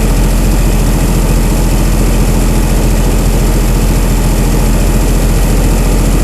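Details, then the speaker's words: Chrysler 225 Slant 6 generator engine with new Holley Sniper EFI, cold; IAC at 100%, probably holding high idle, throttle 0%, weak battery; smooth even fast idle, deep drone, no knocks or misses; normal fast idle when cold. "the IAC is at 100 percent probably because it's trying to maintain that high idle"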